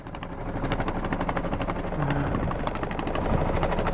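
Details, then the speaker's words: 1978 Yanmar YSB8 marine diesel in a sailboat, after sitting 10+ years flooded, at about lowest idle in neutral after shifting into forward: even steady chug with no knocks or misses, a perfectly working engine. "There we go. We got a perfectly working engine there."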